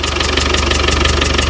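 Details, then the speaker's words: 35-year-old Land Rover Defender 110 diesel first start: sharp regular ticking knock about six per second over loud idle; owner suspects head gasket, with gas spitting and oil at the back of the engine. "I don't know what that noise is it's probably not good I think the head gaset need replacing"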